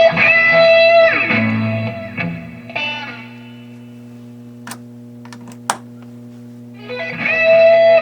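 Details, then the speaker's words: 1979 Fender Super Twin Reverb tube amp after input jack repair: clean electric guitar notes and chords ring out clearly with no crackle or dropouts; input working again. "As you can hear, the amp was back in action. The repair was effective and the input jack was functioning again."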